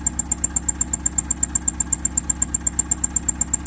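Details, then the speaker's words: 2001 Honda Civic LX D17A1, flood car with new injectors and coils, slight blue smoke and sludge, mic at tailpipe: sharp chirp about four a second over low idle; irregular exhaust note, owner suspects timing, valve or catalytic converter. "I know there's a little sludge in the engine so and uh I just when I come around the back and listen to the exhaust noise I've got this and I don't know how that sounds coming across"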